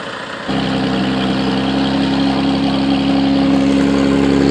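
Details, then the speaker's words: After repairing the broken resonator pipe with heat wrap (soapy-water test shows no bubbles): engine starts into a smooth, even idle with a steady hum, no puffing or ticking. Exhaust sealed, normal idle. "this is what it sounds like after the repair"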